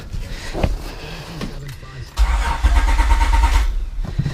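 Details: Honda J32A3 V6 cranking on a small battery with fuel disabled during compression test, gauge in cylinder 1 reading about 180 psi: even steady starter rhythm, clean compression strokes, no firing; normal.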